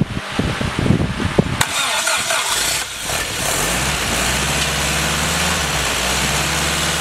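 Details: Freshly rebuilt Willys F134 engine (CJ3B) first start with a cooling fan running; brief uneven cranking, then catches and settles into a steady even idle over the fan hiss, a healthy first start.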